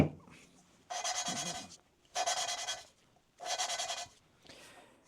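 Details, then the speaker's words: 1958 Pontiac Pathfinder Sedan Delivery 261 inline-six, sat over 60 years: valve lapped into its seat with abrasive compound, spun by suction-cup tool, three gritty rasping one-second strokes with pauses; leaves grey contact ring. "And I'm going to spin it, and you can just hear it grinding away."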